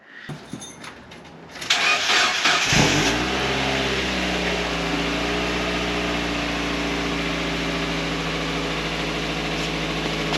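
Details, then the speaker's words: Mazda Miata after old exhaust was removed and it was returned to stock for a state referee check: short crank, fires cleanly, revs briefly and drops to a smooth, steady idle with a soft, quiet exhaust note; normal start and idle. "yeah it worked you guys it worked she started up finally but you can tell how quiet the exhaust is"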